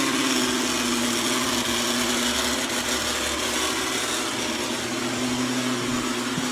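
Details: Eufy G30 robot vacuum about one year old: harsh hissy grinding roar over a faint steady hum while running; loud grinding of unclear source.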